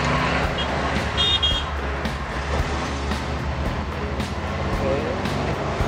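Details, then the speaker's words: VW Samba 23-window camper van, air-cooled engine pulling hard in first gear after a toll booth; note climbs cleanly with no gear whine or popping out to neutral; manual gearbox healthy. "Dan ternyata dari gigi 1, 2, 3, 4 gearboxnya oke banget nih. Nggak ada dengung kalau kita dengerin suaranya."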